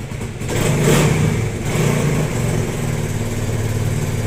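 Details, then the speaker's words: Motorcycle brought in for a noisy engine, after a new timing chain and guides, original tensioner reset and damaged parts replaced: fires, blips, drops to an even idle, no rattle or misses; noise gone, idle steady, no misfire. "okay na yung motor niya wala ng ingay ah maayos na yung Menor at hindi na siya palyado"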